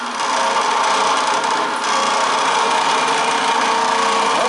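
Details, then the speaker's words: Roughly 42-inch scrapyard belt-drive fan, electric motor run briefly with no load: a harsh, rattly grinding over the motor hum from heavy play in the worn ball bearings. "the motor seems to function now you can hear the tremendous amount of play in those ball bearings"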